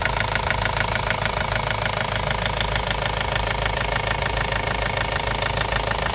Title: Ford Focus mk1 1.8tddi engine knocking (solved)